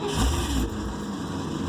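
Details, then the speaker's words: Project vehicle, after the fuel pump primes and the idle air control valve is heard: brief flare of engine noise that dies within a second. Cranks but won't start; the owner hopes it is air in the fuel lines. "Same result. I think what I'm going to try to do, you give it a hair of throttle, maybe see if there's any air in those lines still."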